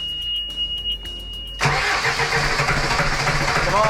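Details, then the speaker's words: Sailboat diesel after running out of fuel, with all fuel filters newly changed and air in the system: slow, uneven cranking that catches and stumbles without settling; lots of air bled out, air in the fuel causing the trouble. "see all that air coming out loads and loads of it that's what it is that's what's causing our trouble"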